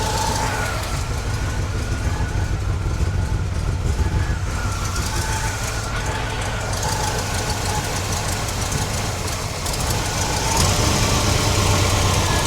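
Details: 1969 GMC truck, small-block V8 with a used alternator charging near 13 V, idling with a faint whine over the rumble; the alternator belt is overtightened and is loosened to cut the noise.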